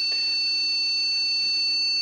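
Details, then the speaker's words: PC powering up with no RAM installed; the BIOS gives a steady high-pitched beep and a diagnostic post card shows the code for missing memory. "Allora, PC parte, sentiamo questo beep e il BIOS da solo che indica assenza della memoria RAM e vediamo anche il codice. Che teoricamente dovrebbe significare che non c'è la memoria."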